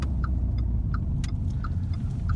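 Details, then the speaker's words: 2012 Renault with EDC gearbox after repair for bearing noise (bearings, differential bearings and seals replaced); on the road test the earlier growl and hum are gone, just a steady low rumble; normal gearbox running. "dönüş yapalım ses yok o ve diğer testlerde iyi hiçbir problem"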